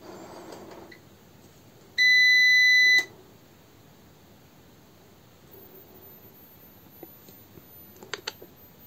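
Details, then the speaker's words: TRANNERGY SGN4000TL solar inverter with solar panels connected but no 220 V grid: one long high beep as the LCD blinks, then faint transfer relay clicks, and it reports a utility loss error. "blinks the LCD has blinked and you start to hear the transfer meter noise from there and then it starts and gives the error that utility loss as we have no grid connected to the line"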